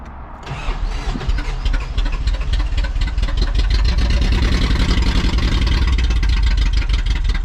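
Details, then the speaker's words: 1st-gen Toyota 4Runner, 22RE engine, 5-speed, long-neglected, before rebuild: starter cranks with foot to the floor, engine catches unevenly, stumbling and hiccuping into a ragged run; gets fuel, some oil pressure, hard rough start. "My foot's to the floor. Looks like it's got oil pressure of kinds. I don't know. Doesn't sound good."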